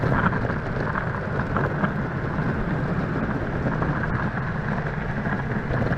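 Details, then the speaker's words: Verreal RS electric skateboard with urethane wheels on rough asphalt and cracks: loud, coarse rumble and clatter like a dump truck, no distinct motor whine; the board itself rattles, not the motors, though it sounds quiet on smooth asphalt. "over cracks and on rough asphalt this thing sounds like a dump truck going down the road so the motors aren't loud but the entire board is louder than the heck"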